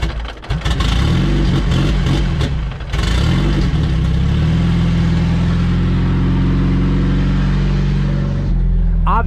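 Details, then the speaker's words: Turbo LSVTEC Honda CRX, check engine lights on: engine catches, runs unevenly several seconds, then cuts out abruptly; owner thinks it has no gas. "we got a couple check engine lights right and it just died no worries turn it on again i don't think this car has gas though"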